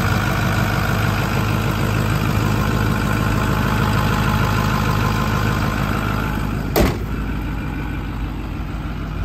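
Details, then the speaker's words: 2009 Ford F-250 with a reported exhaust leak: even, deep idle with a steady low rumble and no puffing or ticking at the pipe; it sounds normal and the leak is not audible. "Honestly, if you didn't tell me, I wouldn't even know there was an exhaust leak because you don't hear any excessive exhaust noise. It sounds normal, really."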